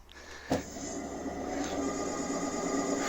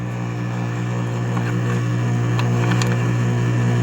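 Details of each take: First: Electric moped hub motor that hummed and would not drive, after its Hall sensors were replaced: a click, then a smooth hum that climbs to a clean, even spin with no grinding or stutter, at the same speed as before. Repaired and working normally. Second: Small electric moped hub motor, over 1,000 km: steady low buzzing hum with a faint rough pulse as the motor strains but barely turns; a Hall sensor is suspected to have failed, with a phase voltage mismatch of about 1 V.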